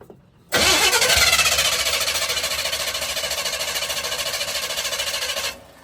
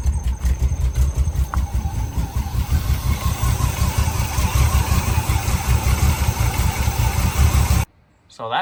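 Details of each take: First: 1982 Chevy K10 on a junkyard Holley 600 CFM vacuum-secondary carburetor: steady starter cranking at about 3.5 turns per second for five seconds, never catching; possible debris from sitting. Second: 1982 K10 V8 running on a $20 junkyard Holley 600 CFM vacuum-secondary carburetor, just blown out and roughly tuned; deep steady fast-idle burble with no misses or stumbles, then shut off; mixture sounds properly set, running well.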